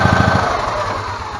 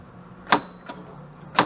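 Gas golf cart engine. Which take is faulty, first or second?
second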